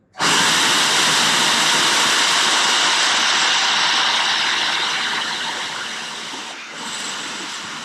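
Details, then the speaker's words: 17T turbo (Vargas Stage 2) off car: loud airy whoosh starts abruptly, holds a second or two, fades quickly; spins up and stops fast. "so you can see how fast it starts spinning and how quickly it stops spinning"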